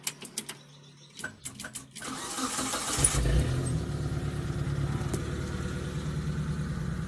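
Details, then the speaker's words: T120SS whose indicators were dead and engine would not crank, after fitting the 30 A pink glass fuse beside the battery: a few clicks, brief crank, then catches into a steady even idle; normal start. "Mobilnya juga hidup kawan."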